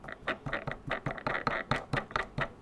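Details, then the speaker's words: Brand-new motor from a Ranger 1600 FPV RC airplane (1400 kV), turned by hand straight out of the box. Gritty, scratchy bursts about four times a second reveal rough, worn bearings; the owner plans to replace the motor. "bearings are knackered out of the box but without question I'll be swapping the motor over there's no doubt at all that motor it looks really pretty don't get me wrong it's an 80 to 110 to 1400 KB it sounds rough as you like"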